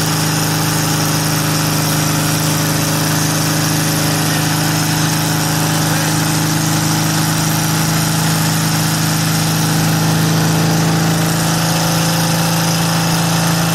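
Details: VW air-cooled engine with Weber progressive carburetor, sat a while, fired right up after earlier trouble firing a couple cylinders at idle; steady, even idle with smooth low throb, no misses or knocks, running fine.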